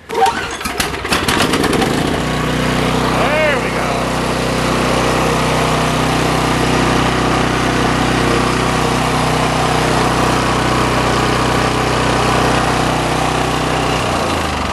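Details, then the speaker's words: Briggs & Stratton snowblower unrun for 2–3 years, given fresh gas, full throttle: rapid pull-start chuffs catch within two seconds and settle into a steady, even full-throttle drone; healthy start. "Pretty good, huh? A little bit of fresh gas does wonders."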